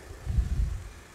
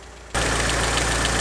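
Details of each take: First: Mitsubishi Evo 6 after hydraulic lifter replacement, stock exhaust, heard under the bonnet at idle: quiet, even low rumble with no ticking or tapping from lifters or air con compressor; valvetrain now smooth and healthy. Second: Mitsubishi Evo 6 before the lifters were replaced: fast, light ticking of about three to four per second over a steady idle. The hydraulic lifters are tapping; the originals have a 1 mm oil hole, while newer replacements have 3 mm.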